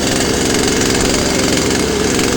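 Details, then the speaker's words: Poulan chainsaw with a second new carburetor, started cold on choke after sitting a couple of days; it starts in three pulls and holds a loud, even two-stroke idle with no surging or dropouts. Idling normally. "Yeah, there it was, three pulls. I'll let it idle for a little while before I rev it up."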